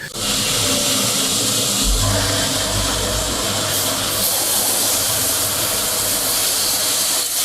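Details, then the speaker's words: Heat pump during refrigerant charging: loud steady hiss of escaping gas over a low rumble while the charging hose fitting is tightened and the hose freezes. Refrigerant is leaking at the charging hose connection. "Something's not right. Tighten it. I'm tightening it. The hose is freezing."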